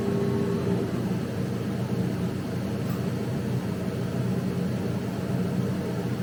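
A steady, even fan drone with low rumble and no knocks, surges or squeals; the cutter and its exhaust are running normally.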